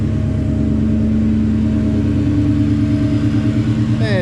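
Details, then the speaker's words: Project car with a supercharged V8, just completed build with new exhaust and a hydraulic clutch kit: deep, smooth, quiet, even rumble with blower whine and no misses or knocks; running well. "fire right up man smooth quiet all the exhaust is done"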